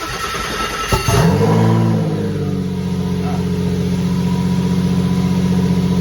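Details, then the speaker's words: RWD Mini with V6 bi-turbo swap, cold shack at 4.5°C, mini OBD2 dash fitted, 15 V charging: engine cranks, catches, flares, then holds a fast steady high idle; owner suspects an air leak, not confirmed. "That's revving quite high, isn't it? We might have some air leak somewhere. I wouldn't be surprised."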